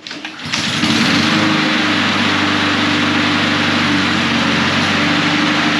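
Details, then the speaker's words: Husqvarna HU800AWD ride-on mower, sat about three years, running on old ethanol-free fuel, after a new drive belt and three new idler pulleys: fires up into a steady, even buzz under load with no slipping or squeal. Drive pulls strong, normal. "so that's it she pulls strong that's what we want um yeah it works"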